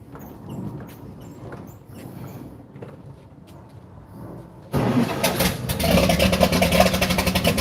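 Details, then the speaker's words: 1954 Chris Craft 17-foot Sportsman Deluxe boat engine fired up briefly out of the water after two years in storage: it catches and settles into a steady, even run with good oil pressure and no misses or knocks. "It kind of got into running mode real good. I think this thing's going to be just fine when we dump it in."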